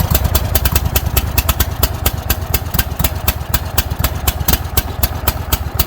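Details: Kohler 7000 Series engine on a Troy-Bilt zero-turn mower, after carburetor replacement for gas in the oil: steady, even single-cylinder beat at fast idle, firing cleanly with no misses; runs normally, idle slightly high.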